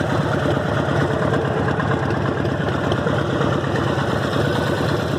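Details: Harley-Davidson Evo V-twin at idle: lumpy idle with a repetitive tapping in each beat; ticking noise, suspected rod knock or lifters, not confirmed.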